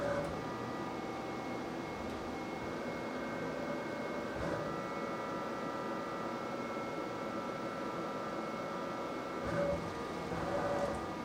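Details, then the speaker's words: DMM AC servo motors on a DIY CNC mill during the probing cycle: only a faint steady hum with a few soft high tones, no buzzing. They no longer vibrate the casting as the old stepper motors did; normal quiet running. "The first thing I want to draw your attention to is how quiet the motors are during the probing cycle. They are not vibrating the casting like the stepper motors did."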